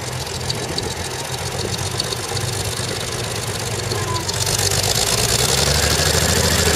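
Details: CVR(T) Striker FV102 Swingfire tank engine at idle misfiring badly, uneven lumpy idle with irregular knocking about three per second; cause was a stuck valve, later fixed by fitting a replacement engine.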